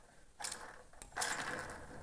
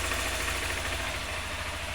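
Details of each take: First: 2020 Honda Fan 160 engine, cam chain gear and rocker removed: two short bursts of gritty ratcheting rattle as camshaft is turned by hand; worn camshaft bearing with excessive up-and-down play causing engine noise. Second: 2020 Honda Fan 160 motorcycle at idle after repair: camshaft had heavy play and was reassembled, dirty oil changed; even, steady idle with no top-end knocking or ticking, the earlier engine noise is gone.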